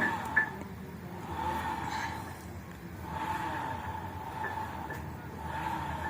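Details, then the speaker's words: 2014 Honda Vario Techno scooter, CVT cover open, rear wheel spun by hand: soft, even gear whir from the final drive, judged healthy, checked while tracing a whining, slightly rough noise. "di sini bagian gardan kalau menurut saya dengan kondisi segini ya relatif aman ya, nggak ada keluhan."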